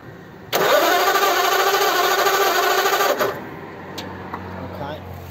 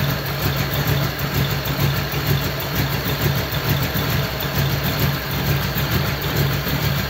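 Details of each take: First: Model A roadster after a year under a tarp: about three seconds of steady starter cranking that never fires; a test spark plug shows no spark. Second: Model A roadster's old V8 (about 276 cubic inch, 4-inch stroke) idling after a year under a tarp, electric fan removed so it is run only briefly, generator belt misaligned: an even, steady low rumble with a regular pulse, no knocks or misses, normal.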